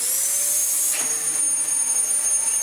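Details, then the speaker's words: Dyson DC14 Telescope Reach upright vacuum after its awful-sounding non-clutched aftermarket brushroll was replaced with a good used one and the tool was refitted. A steady, high, even motor whine with no surging or rattles; working properly. "Oh, there we go. That's better. And yeah, we have ourselves a very nice working Dyson DC14 now."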